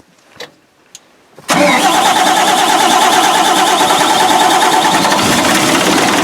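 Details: Barko 612 diesel after clearing rubber from the fuel filter housing, on a steep hill: a few faint clicks, then it catches at once and settles into a steady, even run; a clean start and healthy idle.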